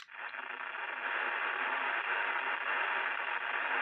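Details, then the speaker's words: Amateur radio FT-4 indoors on 2 m band, accessing an open repeater: steady static hiss rising within the first second and staying flat, burying the channel; QRM, source not confirmed. "so repeat is open but listen to all the noise you can hear it in the background and I'll come off probably in a second or so"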